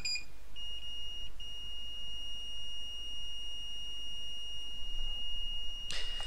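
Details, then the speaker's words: Old spare PS4 logic board, possibly dead, used as a reference for a no-disc-feed repair: the multimeter in continuity mode gives a steady beep at about 0.5–1 ohm across a fuse that could blow. The fuse is intact. "one oh and a beep so hopefully the mic the the microphone on this pick that up so those are the three fuses that may be blow"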